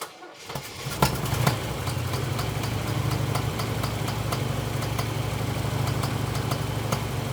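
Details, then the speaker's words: Engine with long-running backfiring, new distributor installed, checked with a timing light: uneven idle with irregular stumbles and pops about three per second; ignition timing too far advanced. "okay still too far Advanced so that's what I was thinking see if we can turn it some more"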